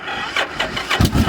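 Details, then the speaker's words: Motorcycle with an aftermarket Kawasaki Vulcan starter solenoid: the button gives 12 V but no click, yet jumpering across the solenoid brings a few cranking pulses and the engine starts, suggesting the solenoid isn't magnetizing. "there we go so I'm wondering if um it's just a bad solenoid since I'm able to jump it like that"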